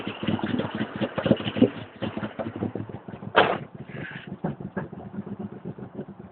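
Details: 1992 Jeep Cherokee, petrol six-cylinder, first cold start of the day at about 24-26°C: about three seconds of uneven cranking chugs before the engine catches with a burst and settles; hard starting, long cranking before it fires, cause unknown.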